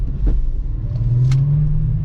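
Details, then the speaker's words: 2001 US-spec VW Jetta VR6 wagon, stock VR sound, during a short hard parking-lot acceleration: a deep drone rises smoothly in pitch under load, no misfire, knock or rattle; normal acceleration, feels healthy. "I mean, she feels healthy. She feels healthy, at least for a little parking lot rip. It feels good. Got a nice sound to it. That stock VR sound."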